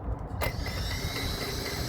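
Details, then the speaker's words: RC car on its first drive after resealing a leaking diff, refilling it with fluid and threadlocking the screws: a sharp click, then a steady gritty grind with a faint high whine. Owner says it is the center diff still settling; unconfirmed. "if you hear that, that grinding, that's the center dip still setting."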